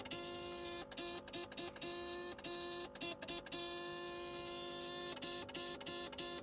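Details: 2002 Saab 9-3 after an engine overhaul, key on: a thin electrical buzz in quick bursts from a relay under the dash while the dash goes haywire and the fan cycles on and off. The engine cranks but won't run; the cause was the ECU needing a reflash.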